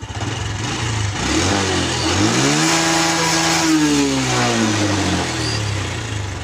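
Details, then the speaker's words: Honda Revo Absolute (Revo Fit, carbureted, non-injection) after carburetor service and sealing an air leak path: throttle blip rises and falls smoothly, no popping as revs drop; deceleration backfire cured. "Nah, sudah sembuh."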